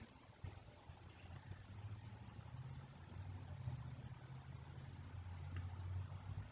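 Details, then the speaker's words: 1998–2002 Honda Accord after timing belt, balancer belt and water pump replacement, first start: quiet, even low idle with a soft hum, no knocks, squeals or leaks, no check engine light; normal idle. "Boom, the car starts, guys. You guys can see no check engine light. Look, listen for noise, for leak from the top, and check underneath for leak as well. It's all good, guys. This car's running good."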